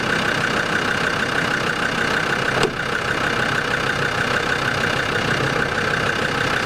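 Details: Land Rover Discovery 2 TD5 diesel at steady idle right after an engine oil change, with fresh oil and oil still slightly low; an even, soft clatter with a faint constant whine and no knocks or misses. It sounds quieter and healthy.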